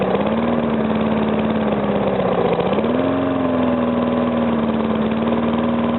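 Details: Briggs & Stratton single-cylinder on first start after rebuild; knock caused by compression leaking past the piston, fixed by rearranging rings and cleaning: steady idle rises briefly then settles, no knock over the firing beat; normal idle.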